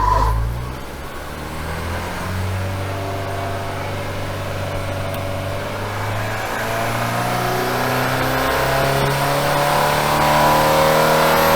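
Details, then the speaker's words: Engine on dyno stuck in limp mode, earlier held near 3,000 rpm; with dyno water pumps switched off it climbs steadily and revs smoothly but still sounds short of full power; pumps' load suspected of preventing revving. "yeah so before we had the water pumps on the dyno running and I think that must have been creating enough of a load on the engine that it's not allowing it to rev while he was in there he just shut the pumps off and it's revving"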